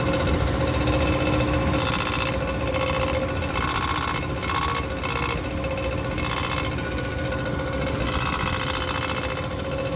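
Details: 2011 Ram running cold, about 10 years old: a rhythmic metallic scraping, about four a second, from the flexplate rubbing the bent access plate between the transmission and engine. A bolt was missing from the plate; bending it back fixed the noise.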